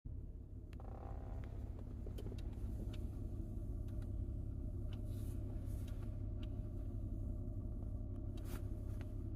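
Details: 2012 Toyota Kluger FWD KXR; quiet electrical whir, buzz and occasional clicks behind steering wheel toward centre, present with ignition on whether or not the engine runs, gone with ignition off, first noticed after a 2000 km drive; cause unknown.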